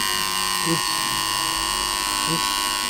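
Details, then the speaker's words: Cheap beard trimmer reassembled after inspection, solenoid driving the plastic hammerhead and lower scissor plate: steady, even high-pitched electric buzz with no stutter or rattle; running normally. "So you can hear it's working, and"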